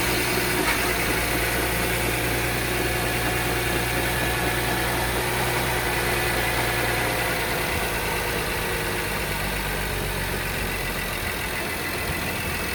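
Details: VW Touareg 3.6 FSI idling cold, fast fairly steady tapping about three a second over running noise; cold-start knock, source unknown.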